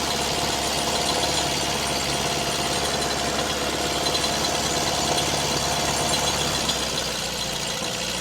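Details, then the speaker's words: Ford Fiesta MK1, stood for a few years, idling: uneven idle, one cylinder dropping out with a rich lumpy note as leads are tested; one cylinder not firing. "That one's firing. That one's firing just that one is not firing at all."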